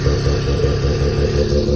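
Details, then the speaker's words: Mazda rotary engine in a trike, which was earlier smoky and is leaking coolant, with the owner suspecting the manifold gasket. It runs with a smooth, fast, even buzz and no stumbles or misfires, which is normal running. "Besides that, as you can hear, we'll do it again. The engine fires up pretty bloody good."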